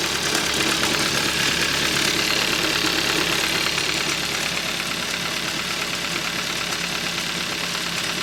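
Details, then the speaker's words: 2013 Hyundai Accent 1.6L, knock appears only once warm: warm idle with a crisp, regular ticking knock about three beats a second; owner suspects rod bearing or loose timing chain; engine knock, cause not confirmed. "It have a engine knock. Thinking it could either be a loose timing chain or rod knot, which these cars are notorious known for."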